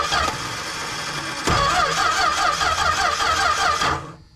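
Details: 1974 Plymouth Duster, slant six with 904 transmission, sitting since 1987: the starter spins the engine with a quick, even whirr for about four seconds but it never fires. Spark is present; a stuck fuel pump is suspected, not confirmed.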